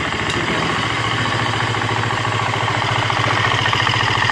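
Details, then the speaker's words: 2015 FE350S single-cylinder four-stroke after top-end rebuild (piston, cam chain, tensioner), thermostat fitted, warming up on lift to check water pump circulation: even quick idle patter, no ticking or knocking; healthy. "So we're just gonna let it warm up. It's gonna take a while. We'll let it warm up and see, make sure that water pump is moving everything around."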